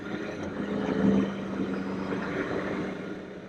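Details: Can-Am Spyder bought new in 2020, about 26,444 miles, with a new motorcycle battery and no tender needed: soft, even idle with a steady low hum and no misses, knocks or rattles; normal idle.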